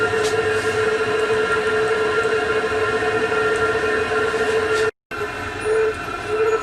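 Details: Chinese diesel heater on a workshop bench test, after 10 minutes at full power (level 10), warm; steady roar with an unchanging hum and whistle, no surging, popping or misfire; normal running at full power.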